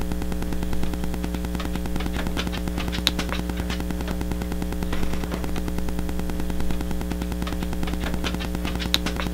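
A steady low hum with a fast, even electronic thumping and static ticks, typical of Wi-Fi interference in a camera microphone.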